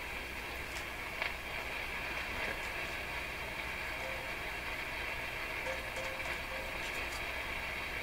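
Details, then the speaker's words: Rogers 11RA651 shortwave radio, valves tapped with soft shrink tubing: steady hiss with a ringing tone and the hiss level drifting up and down; the valve in the 6B6 socket, actually a different type, is microphonic with loose elements. "Not only can you hear the ringing, which means the elements in the tube are a little loose, but I can also hear a variation in the hiss level is going up and down a wee bit. That's a worrisome tube."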